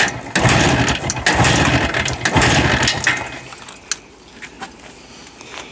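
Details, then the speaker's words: Jawa two-stroke motorcycle just started on battery and choke, still firing on only one spark plug: uneven, choppy running that sags and nearly dies after a few seconds. Misfiring, running on one cylinder. "все еще имея на 1 свечке завелась ну вы слышали звук"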